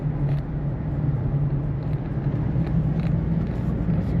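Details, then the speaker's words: Toyota Prius driving at 50–55 mph: steady low droning hum over road rumble, expected to get louder with speed. Faulty right rear wheel bearing suspected; the car also had ABS, brake and TRAC lights from a damaged speed sensor harness. "Yeah, it sounds like right rear. Okay, so I suspect we have actually a faulty rear wheel bearing that's causing the uh causing the noise."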